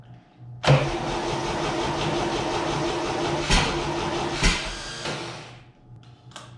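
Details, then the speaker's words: 1962 GMC 2-ton truck 305 V6, roughly 50 years old, fed from a marine fuel tank: slow, labouring crank with uneven sputters that never catch into a steady run; hard start blamed on a weak starter and a dried-out carburetor accelerator pump. "get some action with the accelerator pump oh she's really cheating her accelerator pump is uh clearly dried up"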